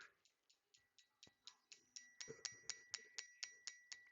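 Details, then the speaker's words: 2011 Chrysler Town & Country, after repairs to a no-coil-4 PCM fault, tested on a quiet bench: crisp, evenly spaced clicks about twice a second from the injector, confirmed on test light and oscilloscope; firing normally on each pulse. "trying to get quiet to see if you guys can hear that click click click click click from the from the injector"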